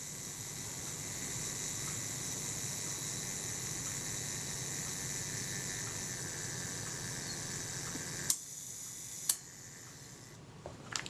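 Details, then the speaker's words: Kodak Retina Reflex III film camera being serviced for a shutter that did not work, self-timer test after reassembly: an even fine whirring for about eight seconds, then crisp shutter clicks; the self-timer runs down smoothly and releases the shutter. "Release the shutter, it's sitting there now, held back by this tab, which will be pulled back by the self timer, allowing the shutter to complete."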